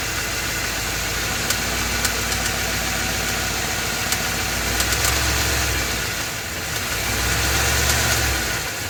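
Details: Ford F250 7.3L Godzilla gasoline V8 on a hot day, serpentine belt removed per a TSB, idling with slight load. Irregular sharp ticks over a rough idle persist with the belt off, indicating an internal engine knock; engine later replaced.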